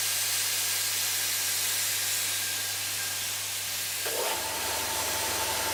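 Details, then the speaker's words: Ash Air SF302 3HP single-phase, low-rpm cast iron 3-cylinder piston compressor, 16 cfm, continuous-run mode: steady pump drone under air hiss, then a puff and tone change as the unloader actuator opens at set pressure while the motor keeps running; normal. "when their pump gets up to four three two this fire you'll hear the actuator here open and you'll hear a change in tone of the pump then things at the pump stop pumping but the machine turns and used to run to keep that all the gear running over"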